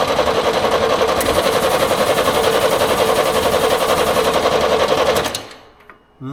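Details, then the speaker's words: 1938 International pickup, key-start attempt after supper: steady cranking at about four beats a second for five seconds, never catching. It ran quietly soon after; owner guesses it had been flooded with too much fuel. "still doesn't look good golly what the heck man don't get it"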